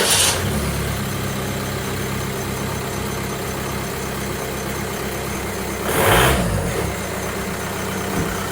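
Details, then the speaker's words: Wrangler with TDI diesel swap, first start after welding in exhaust with resonator: catches and settles to a rough steady idle with an underlying rumbling drone; owner says a bearing is going bad, no exhaust leaks found. "I've got a bearing going bad I'm going to have to deal with."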